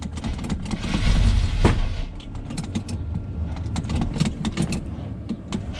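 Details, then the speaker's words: 1976 GMC C15 Squarebody, long-abandoned, cold start at 13 degrees: sluggish, uneven starter chug about four turns a second with rattling, no catch; slow cranking, weak battery suspected, started after charger boost. "so let's see if the old Bad Chad Square fires up. Pretty slow moving. Come on, girl."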